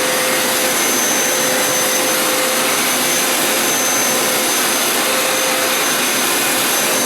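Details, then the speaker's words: Hoover Elite Power Scrub carpet cleaner used as vacuum to suck up cleaning solution residue after deep clean wash cycle: even, high-pitched rushing whine holding steady, no surging or rattles; suction motor running normally. "As a vacuum just to suck up some of the residue of the cleaning solution. Just using it as a vacuum right now."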